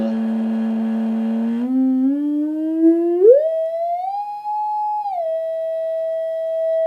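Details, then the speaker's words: Teledyne Acoustic Research AR11 loudspeaker under a sine sweep: a clean tone glides upward as the midrange driver starts buzzing around 400–430 Hz, where the crossover hands off the signal; midrange driver working. "you can hear the hear that guy buzzing"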